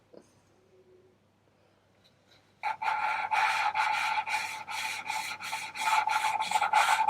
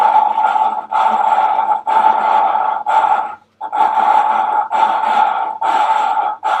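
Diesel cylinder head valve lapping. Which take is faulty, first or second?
second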